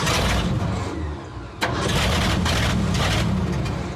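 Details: Abandoned 1979 Ford F-350 dually, long unused: engine fires and runs while cranking, then stops on key release; owners suspect no power on the ignition run-position wire, so it dies when the key leaves start.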